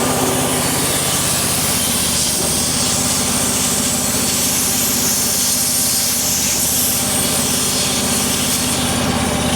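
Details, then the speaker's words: EZ Liner power pack small engine, warm, idling after a half-choke start with hydraulic bypass on and air tank closed, before throttling up. Steady, even buzz behind loud hissing, no stumbles or knocks: normal idle. "Now that the engine's idling and I've closed the air tank, I'm going to start throttling up."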